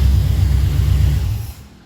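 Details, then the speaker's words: HT V8 after fixing a bottom-end knock from the crank hitting the modified sump, run briefly without coolant after priming fuel: fires straight away, deep even rumble with no tapping or knock before shutdown; sounds healthy. "Woohoo! Fucking fired up straight away. That sounds better. Listen to that. Beautiful."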